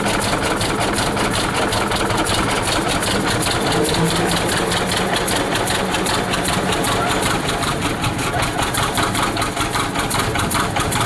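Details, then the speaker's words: 1926 Hart-Parr 16-30 tractor, first run in over a decade after camshaft swap and re-timing, started with pony motor: slow, loping, steady even beat without misses or knocks; normal running. "well there you have it after six months we finally were able to fire it up and take it for a short ride"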